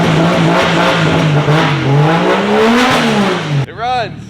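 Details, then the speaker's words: Engine with traction-control throttle bodies, most wiring now on the key, fuel pump hardwired, MAF had been installed backwards: several free revs climb and fall smoothly with a clean, even note and no misses; running healthy. "It revs. We hear it. Sounds great."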